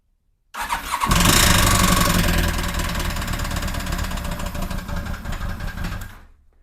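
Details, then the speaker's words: 2007 Yamaha FJR1300 after a breakdown: rough start-up recorded near the engine, with an uneven knock about four per second that sounds like a possible rod knock. Cylinder 2 is suspected, having held synchronization poorly. Compression check pending. "And it doesn't sound good at all. Almost sounds like a rod knock."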